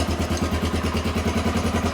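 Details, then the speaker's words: 1993 Honda XR250L dual-sport single-cylinder, running again after sitting two years and a battery swap: steady, even thump at a quick idle, regular firing pulses with no misses or knocks; normal healthy idle. "she's been sitting for a while but it looks like we got her all running and I'm just going to button her up now and uh that's it man"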